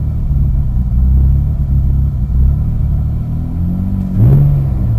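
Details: 2001 Mitsubishi Eclipse GT at cold start: a lumpy idle surging and sagging about every second, a rough cold idle that turns normal once warmed up; the cause is not yet found.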